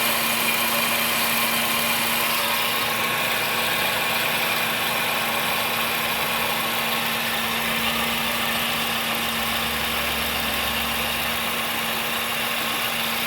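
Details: Vehicle idling after driving through a flooded street, noise present ever since: loud steady idle with a fast, uneven chatter over a constant low hum; abnormal engine noise at idle, cause unknown.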